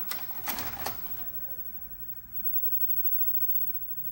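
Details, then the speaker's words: GE Spacemaker 13-inch CRT/VCR combo, tape inserted: three sharp clicks a third of a second apart, then a brief falling motor whir as the TV shuts off and the tape ejects, leaving tape out; the owner suspects a dirty mode switch. "okay so it seemed that the television turned off and then it spat the video back out and it left some of the tap rail here as well"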